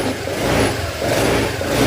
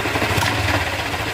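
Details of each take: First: Honda Click 125 V3 scooter after the worn camshaft bearing was replaced: clean throttle blips rise and fall smoothly with no knock or clatter. The engine is healthy and quiet. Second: Honda Click 125 V3 scooter at idle: a rough, gritty clatter rides steadily over the engine. It began after a tire change, and an exhaust leak was already fixed. Others blamed the crankshaft, but the cause was a camshaft bearing.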